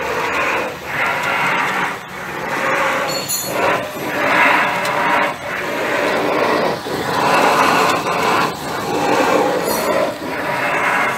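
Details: Ford Fusion V6 with electric power steering, engine hot: rushing groan swelling and fading about every 1.5 seconds as the wheel turns; noise from the steering rack, cause unknown.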